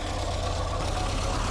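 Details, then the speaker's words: 1960 Triumph TR3A, long barn-stored, idling with oil pressure just over 50; steady gritty whirring hum over a rough idle, not following firing pulses; stethoscope confirms badly worn water pump bearing; water pump, radiator and thermostat to be replaced. "The water pump bearing is going crazy."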